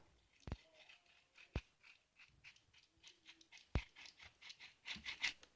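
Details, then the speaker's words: 2004 Jeep Liberty with RPM-dependent grinding drone at idle, traced to A/C pulley bearing; removed old bearing spun by hand gives dry, gritty scratching with sharp clicks, unlike smooth silent new bearing. "yuck garbage bad here's a new bearing nice smooth listen not a peep very very nice"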